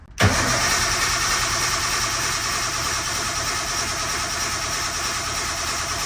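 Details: Engine cranked after refitting the old oil pump with new lines and adapters, checking for oil pressure: starter spins it in a steady, even whir for several seconds without firing; oil pressure then rose, two fittings had been loose.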